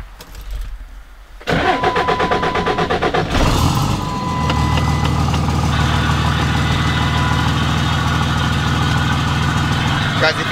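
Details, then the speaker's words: 2006 Ram 3500 5.9 Cummins diesel with G56, cranks and idles with coarse churning rattle about four times a second from transmission; owner suspects low fluid, never changed, possibly lost during clutch job; transmission noise at idle. "have any idea what that sound is in the transmission it sounds like a like a sludge sound I don't know if it's just low on transmission fluid"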